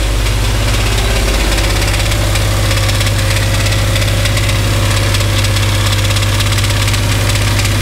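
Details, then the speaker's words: Dodge Dakota 5.9L 360 Magnum V8 on a lift, idle: loud drone with dull knock about three times a second; engine knock, source unclear between engine and transmission, converter bolts to be removed to isolate. "all right so you guys heard that noise coming when we turn over the engine so since it's hard to determine whether it's coming from the engine or the transmission"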